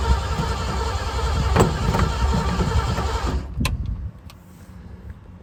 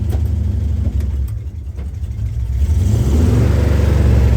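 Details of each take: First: 1966 Ford Bronco U13, first start attempt with a new, unadjusted and possibly leaking carburetor, before touching the choke: starter spins the engine at about three and a half beats a second for several seconds but it never fires. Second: 1966 Ford Bronco U13 barn find, slightly warmed up: drops back then picks up cleanly into a smooth, even rev with a firm low rumble; running well.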